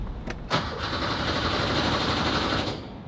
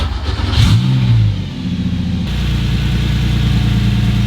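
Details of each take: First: Porsche 911 with a swapped Subaru EZ30R engine: starter churns briefly at about four turns a second and never catches, with no fuel pump hum beforehand. Fuel pump not running; it later worked with no clear explanation. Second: Porsche 911 with a swapped Subaru EZ30R flat-six: a smooth, even idle with a steady low pitch and short clean revs. Normal idle at 800 rpm after plugging vacuum inlets on the air intake cured the earlier high idle.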